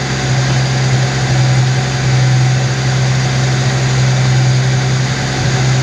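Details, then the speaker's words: 1991 Ford XF Falcon ute, farm-paddock rescue, steady deep idle with an even beat and no misses; idle speed rises as the distributor is turned toward advance. Owner thinks timing is still too advanced from how it holds revs, possibly a vacuum leak. "here how it's holding on the Rev though I'd say it's still too advanc the way it's holding onto that RI"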